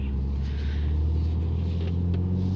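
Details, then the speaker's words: BMW on test drive after repair: deep, even drone with no stumble or skipped beats; idles better, no more misfires, engine has plenty of power where before it was lacking. "okay so I'm out in this uh BMW taking it out for a test drive and it idles a lot better I don't feel any more misfires and the engine feels like it has plenty of power"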